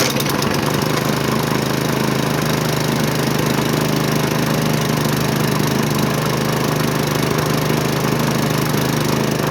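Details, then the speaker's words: Hyper Tough push mower with Briggs & Stratton engine found discarded, oil full and clean; fires right up and runs steady and even at fast idle, no misses or knocks, possibly burning off some oil from being flipped. "I already checked oil before so I knew the oil was full it was pretty clean but this thing fires right up unfold"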